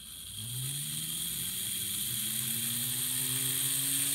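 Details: Atlas/Kato GP30 N-scale locomotive mechanism (mid-1990s), tested on its own: tiny motor spins up with a rough growl under a thin high whine, pitch climbing with speed, a noisy mechanism.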